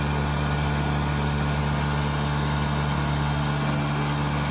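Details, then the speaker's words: Mercedes 190D drag car with an OM606 swap and a newly fitted Bosch 044 electric fuel pump, first priming test after new fuel lines: a loud, steady droning hum at constant pitch with no knocks or surges; normal electric pump priming. "Whoa, that's loud. >> That's loud. >> Well, that's loud to us."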